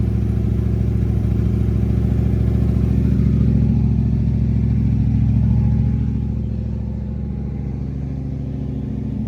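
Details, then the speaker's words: 1988 Holden VL SV88 V8 running with the faulty tinny muffler removed (the middle one was found to be the tinny one): deep, even burble rising with revs and settling back, no tinniness or rattle; healthy exhaust note. "Got no tin. Have a listen. I couldn't hear any tinniness."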